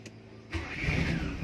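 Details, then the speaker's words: 1993 Nissan B13 project car with a hard-starting complaint, cold-start test after sitting since morning: brief crank and it catches on the first click, settling to a steady idle. The owner still plans to replace the spark plugs. "One siya one click siya So ibig sabihin sa umaga lang sa kinabukasan di si umaandar ngayon na umaandar siya oh One Click lang yan na narinig niyo naman siguro guys"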